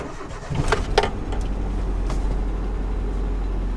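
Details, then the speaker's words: Nissan Hardbody truck, about 101,000 miles, cold start outside after fresh full-synthetic oil and filter change, no coolant or radiator fitted: quick crank, steady even idle, timing chain rattle gone; normal cold start. "only do I not hear the time you chains rattle anymore but it's just for being cold outside the way it fires up like that"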